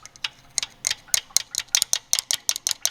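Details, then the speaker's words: Dodge Dakota after engine swap, first run: sharp, light ticking about five or six per second, slightly uneven, with little engine rumble behind it; owner suspects a failing timing chain tensioner and plans to replace parts. "is where my sound is coming from. I have a feeling anyway."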